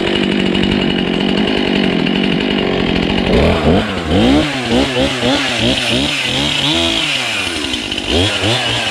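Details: Husqvarna 235 X-Torq two-stroke chainsaw, revived after sitting in a snow bank, primed with only a little fresh fuel: idles with a rapid, steady burble, then revs up and down cleanly through throttle blips; running normally.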